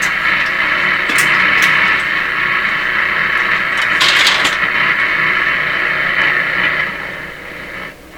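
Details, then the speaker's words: Nordmende Traviata 59 tube radio after capacitor work, antenna probably not rotated correctly: steady unmodulated hiss between stations with faint bits of stations drifting in and out as dial moves, still weak output; normal inter-station hiss. "it's a noise signal but see that's an unmodulated noise where the stations go not much action there still have weak output"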